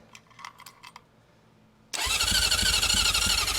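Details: 1980 Honda CB750F Super Sport, 5,616 miles, sitting since 1988, on choke with a weak jump box: quiet clicks then fast sputtering crank near three beats per second that never settles into idle; needs carb clean and battery.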